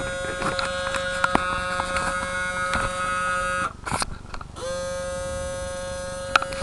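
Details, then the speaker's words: RCA CMR300 VHS camcorder, recently acquired: steady electric buzz cuts out briefly then returns unchanged; transport straining against a stuck tape, won't play or eject; owner suspects the belt broke off, unconfirmed. "I guess the only thing reasons why it's not working I think the belt was kind of broke off."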